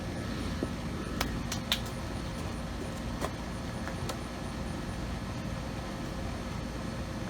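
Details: Curbside Troy-Bilt 3-in-1 self-propelled mower, Briggs and Stratton 675 series 190cc, after fixing a faulty kill switch: steady, even drone with no misses or knocks; running normally.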